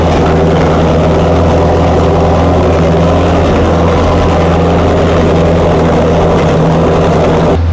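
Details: Chrysler 440 Six Pack V8, rebuilt triple two-barrel carbs, not warmed up: loud, lumpy, uneven low rumble at fast idle; water-bottle test finds two cold exhaust pipes on each side, four cylinders not working, rich running; carb cause unconfirmed.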